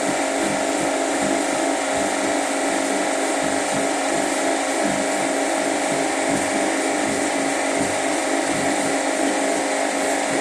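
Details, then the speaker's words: Washing machine at high spin speed after draining: loud steady whirring roar with faint uneven thump about three times a second; abnormal spin noise, owner suspects clothes bunching to one side causing vibration, cause unclear. "Ahí empezó a girar. Este es el ruido que presenta."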